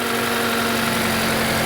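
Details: 2017 Mazda 3 SkyActive four-cylinder idling after alternator replacement, belt checked running straight: even steady idle, smooth constant hum, no chirp, squeal or belt slap; engine running fine, no battery light.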